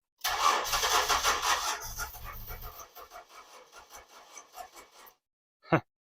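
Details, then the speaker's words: 2006 Ford Escape sitting locked up over two years, plugs refitted, cranking with carb cleaner sprayed in: brief rough catch then dies back to uneven cranking; fuel pump never heard running, relay clicks; has spark but no fuel. "it wants it wants to start but it just needs fuel here you turn it over for a minute one of those"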